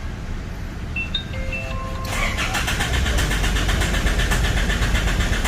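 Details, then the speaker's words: 2012 Isuzu D-Max 4JJ1 diesel that stalls by itself, even at idle, with a new rail pressure sensor fitted: dash chimes, then the starter churns about four beats a second without catching; mechanic blames unstable supply pump pressure. "ไม่ติดนะครับผมอ้าวไหงเป็นงั้นนะครับไหนเป็นอย่างนั้นอ่ะอีกทีซิ"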